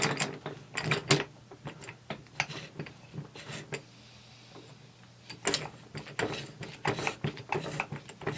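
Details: T96 transmission overdrive on the bench, output shaft turned counterclockwise by hand, driving the sun ring and blocker ring plate: irregular bursts of light ratchet clicks. The overdrive is freewheeling normally on overrun.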